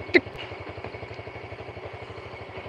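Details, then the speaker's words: Yamaha Jupiter Burhan air-cooled single after engine work with non-original piston set slightly loose, hot idle: light regular tick on each firing beat; minor piston tick, acceptable. "Ini aja kalau panas ada suara sedikit, banget, tik tik tik tik tik tik tik tik tik tik tik tik tik tik tik"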